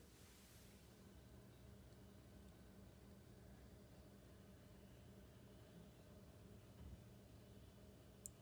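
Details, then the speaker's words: Garrard Zero 100 turntable after replacing the original bearing with a greased multi-bearing upgrade kit: only a faint, even motor hum with no clicks, rattle or rumble, so normal quiet running. "everybody's leaning in right now so yeah just a faint ever a faint of the motor turnning but no clicky clack of bearings or anything like that"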